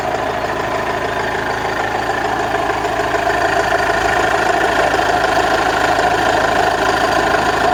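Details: Toyota Corolla Verso 2.2 D4D diesel after moving a part that hit the wiring harness, to cure a dull rattle on lifting off the throttle and gear changes: steady idle, even clatter, no rattle standing out.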